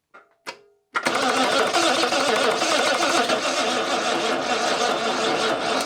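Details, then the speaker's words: British Leyland Princess 2200 automatic, first start attempt after fresh oil and fuel with empty carbs: starter churns about five seconds, dragging slowly without catching, battery dying. "that was pretty close the battery though is dying"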